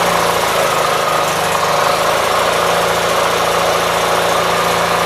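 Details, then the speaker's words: 1976 Gravely 816 with a dry carburetor, possibly flooded, run after clutch work: a lumpy, uneven single-cylinder idle that pops, bogs and recovers. A rough idle with popping, likely a fuel mixture problem. "so it's not idling dck a whole lot better than what it was last night so uh you see it pops and bags and recovers"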